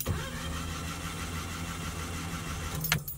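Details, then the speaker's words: Mitsubishi turbo engine that stalled while driving after a plastic-bag-like noise: the starter spins it fast and unevenly with no compression pulses and no catch. Owner suspects a snapped timing belt. "it just doesn't crank normally with you know like with compression and all that"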